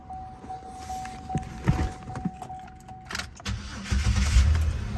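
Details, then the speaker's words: 2009 Buick Lucerne that cranked but wouldn't start, after swapping out the burnt fuel pump relay: a few clicks and rattles, then the engine catches quickly and settles into a steady, even idle; starts right up, confirming the bad relay. "start right up so yeah that's the issue"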